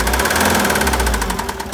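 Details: 2013 Citroën Jumper II (Type 250), 2198 cc 96 kW diesel, engine code 4HH, 294,000 km, with bearing damage and a defective cooling system. A rough diesel idle with a steady, fast knock riding on the clatter, short sample; bearing knock.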